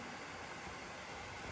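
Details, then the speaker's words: HP Victus 15 laptop (RTX 4050, i5-13500H) under 100% CPU stress at 97°C with the fan manually set to maximum: steady, even whoosh with no rattle or pulsing, temperature dropping to about 80°C; normal full-speed fan noise, which auto mode never reaches. "buradan fanı maksimum alıyorum bakın olması gereken ses bu olması gereken ses bu"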